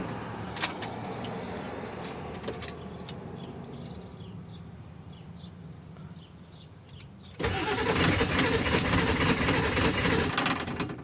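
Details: 1997 Ford F-250 7.3 diesel with a new fuel filter, cranked after spraying starting fluid: even cranking about three turns a second, then louder, with no firing; turns over but won't start. Owner suspects the fuel pump.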